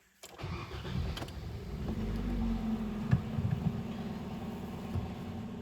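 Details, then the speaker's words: Hyundai Solaris 1.6 G4FC manual, LPG-fuelled, 443,000 km, first start after repair for oil consumption and piston knock: brief crank, catches, settles to steady quiet even idle with no knocks or ticks; healthy start. "так работает ровно работает тихо никаких шумов бяков стуков чеков нет"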